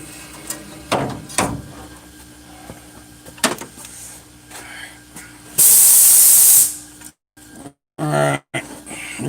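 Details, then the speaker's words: Leak-down test through a Schrader-valve fitting: a sharp steady hiss of air lasting about a second between tool clatter, pressure escaping past leaking exhaust valves, judged compromised on cylinders four and six. "so we know we know i feel confident that the exhaust valves on four and six are compromised"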